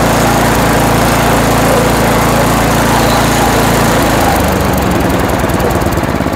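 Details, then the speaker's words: Toro Power Max 828 LE snow blower, 8 hp Tecumseh engine, after replacement with an adjustable Amazon carburetor and main jet tuning: steady drone that shifts speed cleanly around four seconds with no stumble or surge; running smooth. "okay now the engine's running well nice and smooth RPM at Full Throttle"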